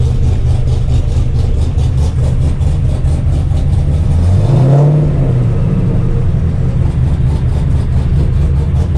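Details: 7.0L 427ci LSx V8-swapped RX-7 after five months stored, warming up, water temp about 100 degrees, 12 inches vacuum, air-fuel 14.4–14.8: deep steady V8 rumble with one brief rev blip, then even idle, no knocks; slight passenger header leak noted; normal idle.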